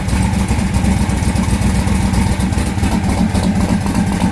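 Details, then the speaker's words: Austin's V8 car during tuning, one rear cylinder showing no heat and front one weaker: lumpy loping idle stumbling about four times a second; misfire at idle. "Front one ain't going as good as the rest of them either."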